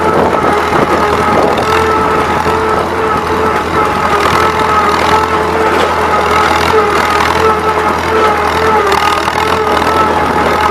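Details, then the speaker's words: Old Massey Harris 30 tractor pulling a 4,000-pound roller over a gravel driveway: the engine chugs steadily with a light cackle and pulls harder as the governor opens on a slight incline. Normal running under load. "But just listen to this old motor cackle a little bit, and listen to the governor open up whenever it goes up this slight incline right here."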